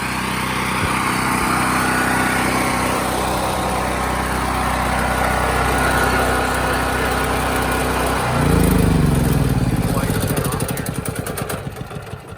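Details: Firman tri-fuel generator running on natural gas for whole-house power; steady, even engine drone for about eight seconds, then shut off and winds down smoothly; running normally.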